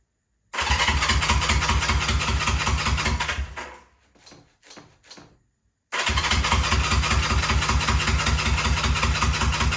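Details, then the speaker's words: Honda CL350 Scrambler, about 50 years old, parked for years and not run; first run using the old gas tank plumbed in without fuel filters. It fires with an even rapid pulsing beat, stumbles and dies briefly, then restarts and runs steadily with more gas. Normal start and running. "Hey, we got something. Give it a little more gas. Finally had some success with this thing."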